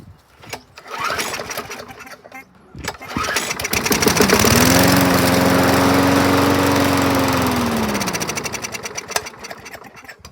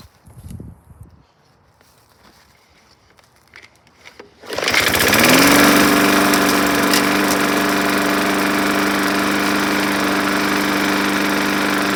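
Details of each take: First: 2011 Yard Machines 21-inch mower with a dry-rotted filter, after starting fluid: the pull start catches and it revs to a steady even drone without misses and runs acceptably; it is planned for a carb cleanup, blade sharpening and fresh oil. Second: Junk walk-behind lawn mower running on just enough fuel after priming, air filter and cover missing: it starts and settles into a fast steady buzz with a light rattle; smoky and rattly, cause still to be checked, blade to be inspected.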